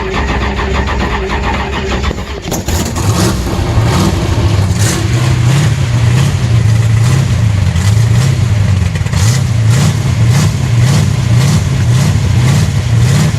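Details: Car cranked on a brand-new battery (12.3 volts): starter spins briskly for a couple of seconds, then the engine catches cleanly and settles into a lumpy, steady race-cam idle.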